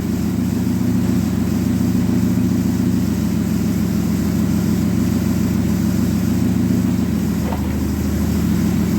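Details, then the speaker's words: Dodge Neon stock car after crash repairs, transmission run through the gears with wheels turning to check fluid level: steady, even engine hum, smooth low drone, no knocks or grinding; normal running in gear. "Now we're going to run the transmission through the gears and we'll check the fluid level. The wheels are turning."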